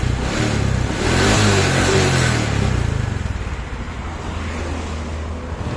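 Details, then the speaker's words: Honda Supra X 125 (KPH engine) after piston ring and valve seal replacement for white smoke, muffler refitted: blips once, then steady, fairly smooth putter at idle with no misses and no smoke; normal idle. "Nah, ini lumayan halus ya mesinnya tuh. Ini udah enggak ngebul."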